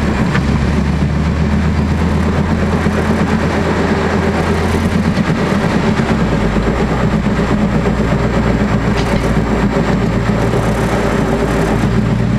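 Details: 1999 Honda Accord: steady low hum and drone under road noise at constant speed. The cause was the passenger-side wheel bearings; the noise was gone after replacing them.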